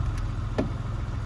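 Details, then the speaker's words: EK Civic with J-series swap on Speeduino ECU: low steady idle with one sharp stumble, the engine losing crank/cam sync per data log while just idling. "Well, this tells kind of a sad story. It looks like I'm getting sync losses, actually."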